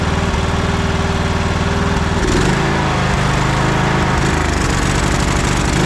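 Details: Troy-Bilt Bronco riding tractor that hadn't started in over a year, running on old gas after being choked; small single-cylinder engine fires evenly, picks up speed and holds a smooth run without misses or knocks; not running bad for sitting so long.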